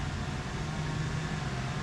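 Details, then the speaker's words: Kandi Cowboy/Innovator dump bed actuator, bench-tested after repair and reassembly with grease: quiet, even low electric hum as it retracts smoothly without grinding or clicking, stopping at the limit switch — normal actuator retraction. "Quiet as a mouse. Super quiet."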